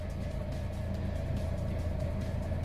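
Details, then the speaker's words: 2015 Chevrolet Sonic LT with code P0304 (cylinder 4 misfire), hesitating at idle, after replacing plugs 3 and 4 and then the cylinder 4 ignition coil: steady, even idle with a smooth low hum and no stumble; no check engine light. "okay i just started the car up no check engine light and it certainly doesn't feel like it's missing"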